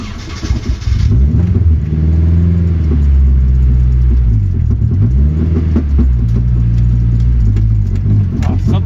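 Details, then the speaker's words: Turbo 240SX with only one exhaust hanger fitted, driven around a parking lot: revs rise and fall with loose, uneven thumps and banging underneath, the exhaust shaking. Owner also wonders about an unbolted driveshaft. "Oh, something's really fucking banging around down there. This isn't good."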